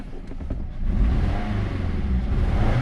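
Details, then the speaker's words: Nissan Rogue with service engine soon light after clearing misfire codes: revs waver and stumble with a rough crackly edge, not stable; cylinders not firing properly, suspected unburned fuel causing smoke. "you could now you could hear some static the way it's actually just though it's revving up it's not really stable"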